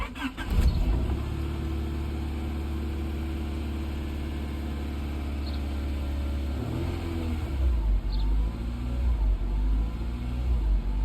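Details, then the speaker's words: 1992 Honda Prelude 4th gen after removing and cleaning the IACV: engine cranks, catches, then idles unevenly, speed rising and falling in slow waves; the bouncy idle surge is not fixed. "okay didn't even fix it okay well that didn't work we can see it was still um surging and having a bouncy idle"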